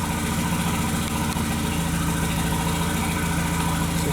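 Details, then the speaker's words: 2001 VW Jetta Wolfsburg 1.8T (180 engine), bought non-running with a suspected harness problem, codes P0300/P0302/P0303: idle lopes unevenly with a stumble about three times a second; random misfire plus cylinders 2 and 3 misfiring. "so we have random misfire and cylinder number three and still the number two misfire"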